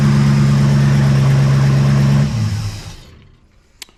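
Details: 1974 Pontiac Ventura V8 just started after a hard start, with new plugs, fresh fuel and verified firing order and distributor timing: lumpy, uneven idle pulsing about 220 per minute before dying away; rough idle, owner suspects the carburetor needs tuning and the timing needs setting.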